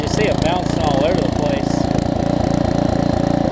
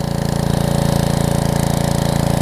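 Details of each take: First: Karcher pressure washer, 6.5hp Briggs & Stratton engine with new carburetor, after long non-use, idling unloaded; engine note keeps swelling and dipping, idle surging that clears under load. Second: Karcher pressure washer with a 6.5hp Briggs engine, new carb installed after sitting, run for a couple of minutes. Idle had been bouncing, but with the trigger pulled under load there is a steady, even firing beat with no surging. Normal running under load.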